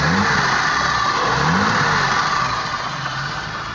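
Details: BMW E30 with M30B35 engine: steady high-pitched whine above the engine through the rev, not tracking throttle much; engine whine of unknown origin.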